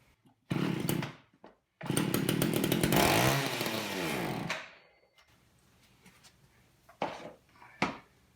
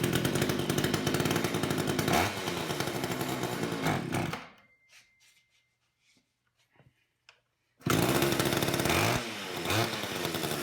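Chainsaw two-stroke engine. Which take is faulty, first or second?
first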